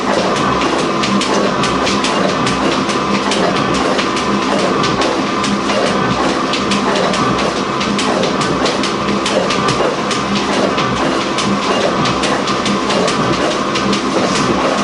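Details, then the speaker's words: Gould & Eberhardt 24-inch heavy duty shaper (1912 patent date; owner guesses 1912–1930), in high range at about 60 strokes a minute, the fastest he runs it. Steady clack about once a second over an even hum, no labouring or grinding: normal running. "And this is about as fast as I attempt to run this machine. And I timed it. It's like 60 strokes a minute."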